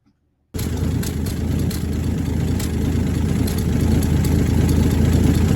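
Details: 1966 Dodge Dart GT, 225 Slant Six inline six, at idle: engine catches and settles into steady idle with a fast puffing tick on the exhaust beat; exhaust leak believed between exhaust and intake manifolds, EGR doubted, new part coming.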